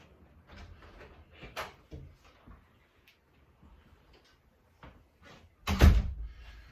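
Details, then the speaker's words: Door hinge after lubricating with a penetrating squeak product: door swings open and shut with only soft rubs and a closing thud, no squeak left. "open and close it a couple of times and you should have silence for those late night bathroom trips or whatever else"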